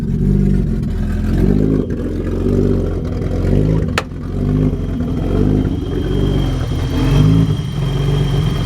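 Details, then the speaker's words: BMW E30 with hard starting/flooding issues and gauges wandering until warm; idle rises and falls about once a second, an uneven hunting surge with slight stutter, then loping like a cam; cause unknown, owner asking for insight. "Here it kind of sounds like it's surging a little. So if anybody knows what would cause that, it's like it's stuttering, like up, and like it's got a now it's loping."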